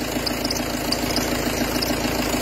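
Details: Peugeot Partner 2.0 HDi 90 diesel at idle: fast, light ticking knock and grinding from the accessory belt; the accessory belt tensioner pulley is worn, crooked relative to the pulley axis and clacking.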